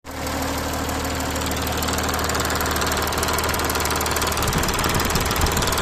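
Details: Audi A6 4G engine idling steadily with a faint loose irregular knock over the hum; abnormal engine noise, cause unclear.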